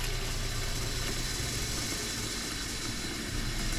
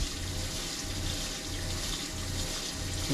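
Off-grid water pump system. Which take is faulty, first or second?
second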